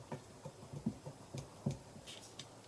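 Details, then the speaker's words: Ford Fiesta 1.0 EcoBoost turbo, oil-starved after wet-belt failure blocked the oil pump, shaft rocked by hand on the bench: quiet irregular taps and clicks from excess shaft play; the bearing is worn out. "see that play, so that bearing is shot."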